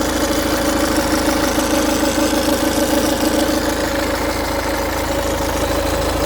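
Steady diesel idle with a fast, even metallic chatter riding over the clatter, pointing to a rattle from the front of the engine. Cause suspected, not confirmed.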